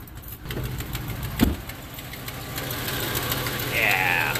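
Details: 2005 Dodge Ram, 247,000 km, cold start: sharp, puffy ticking in time with engine over low rumble; exhaust manifold leak from snapped studs at back of manifold, fixed by extracting studs and fitting new gasket.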